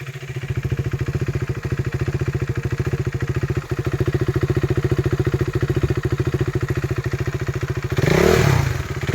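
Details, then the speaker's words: KTM 390 single (2017 BS4 Duke 390 at 14k km or 2015 BS3 RC 390 at 13k km), single owner, kilometres and ECU checked, seller reports no problem. Even, steady thumping idle, then a clean quick rev blip. Normal idle and rev. "അപ്പൊ ഇതാണ് കേട്ടോ വണ്ടിയുടെ engine sound. എഞ്ചിനൊന്നും യാതൊരു കുഴപ്പമൊന്നുമില്ല കേട്ടോ."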